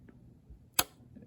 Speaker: you hear that click, and it popped back down. So now that it has popped back down, it's engaged again, and it'll turn it.